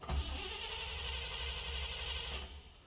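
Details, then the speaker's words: Engine with newly installed Holley Sniper EFI and Holley Dual Sync distributor, ECU controlling timing, cranking as a pre-start check: steady, unlabored whir about 2.5 seconds; handheld showed rpm, confirming correct wiring and setup. "it's showing rpm so we know that we have it wired quickly and setup properly"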